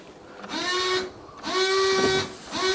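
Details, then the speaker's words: Fiat 500 Lounge, Cat S salvage, 115K miles, ignition on: windscreen washer pump gives three one-second bursts of loud buzzing whine, each rising quickly then holding steady; pump works but is unusually noisy. "come on some it come out oh there we go yeah quite noisy don't care as long as it works"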